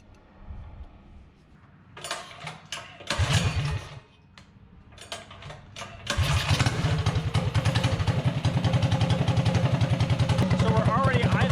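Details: Predator 224-powered GTS mini bike with PWK carburetor (26 mm spoken, 24 mm listed), pilot jet swapped from 38 to 32, 115 main, air screw about 1.5 turns out; after starting pulls and revs, a fast, steady single-cylinder idle with even beats; carburetor set correctly.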